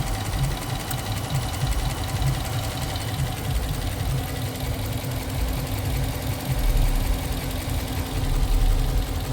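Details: Dodge Durango 5.7 Hemi auction car at idle: a faint, irregular light tick over the engine note that does not get louder when revved, so a lifter seems unlikely; exhaust leak or noisy injectors suspected.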